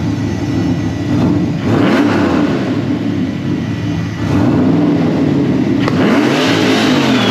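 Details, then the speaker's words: Mini F150 roof-turbo truck, freshly built engine with forged rods and pistons, AFR heads and new cam, 8 lb boost, C6 transmission, running slightly rich around 11-12:1: free rev from cab toward the 6,800 rpm limiter, clean climbing turbo whoosh, no knocks; healthy spool. "Woo! Turbo's definitely still spooling up pretty good. Sounds like it's spooling a lot better."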